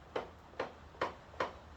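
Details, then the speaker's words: 40-year-old Yamaha XJ650, clutch lever pulled, rear wheel turned by hand: sharp light ticks about twice a second from clutch side of motor with resistance; clutch drag, cause not yet found. "listening, you can kind of hear that it's coming from that side of the motor. So we either have clutch plates that are seized together, which would surprise me, or there's some kind of problem with the way I've installed it or something like that."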